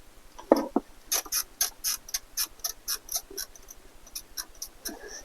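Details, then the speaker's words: 2024 GMC Sierra 1500 Elevation 2.7L Turbomax: sharp little squeaks with each press of the dash trim, about a dozen in a row; a plastic wood-grain piece laid on another plastic piece rubbing, squeaking badly while driving. "that area squeaks crazily when you're driving this truck and it's interesting because this is just simply a plastic piece laid down on top of another plastic piece"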